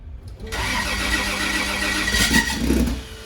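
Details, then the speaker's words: Car with battery around 11 volts: starter whirs briefly, then the engine catches and revs, with an odd note while turning over; the starter is suspected. "okay huh it kind of almost sounds like it's something to do with the starter"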